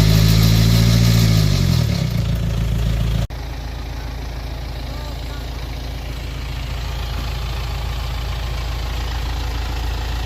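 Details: BMW X3 after timing chain replacement at 216k km, which fixed a rattle: engine settles into a smooth, steady idle with an even low hum and no rattle.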